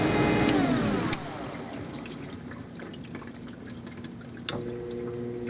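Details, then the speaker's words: Maytag WU882 dishwasher that won't drain, drain cycle: drain pump motor whirs down then hums steadily with faint ticking without turning; owner presumes failed pump bearings, as it sounded crunchy coming to a stop. "And it's doing it again. Yeah. So there is something buggered in the pump itself, presumably the bearings, because when it was coming to a stop, it sounded kind of crunchy."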